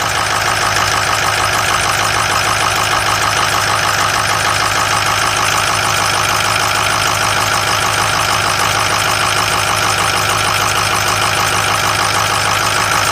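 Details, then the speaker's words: Diesel pickup, possibly a 2006 with 143,000 miles, on a cold start: a steady, high, scratchy belt squeal over the idle clatter. The drive belt is slipping, suspected from fuel contamination after a fuel regulator leak was sealed, and a new belt is needed. "Sounds like we need to put a belt on it. It had a fuel leak before. We sealed up the fuel regulator. And obviously anytime you have a leak like that, it winds up getting fuel on the belt."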